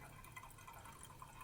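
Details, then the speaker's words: Toilet tank: faint continuous water trickle constantly refilling with no shut-off, stops when flapper pressed down; running toilet from leaking flapper rubber seal. "all right we've got a running toilet here take a listen [Music] something's up just constantly running which requires it to refill automatically"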